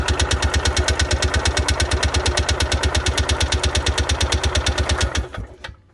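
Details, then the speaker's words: Columbia Parcar golf cart after fuel was primed to the carburetor: fast, even starter chugging about nine beats a second for five seconds that never catches; cranks without starting because the choke was off. "Oh, that just pulled the choke out. What in the hell? Let me try it again. There it is. Okay. Helps if the choke's on."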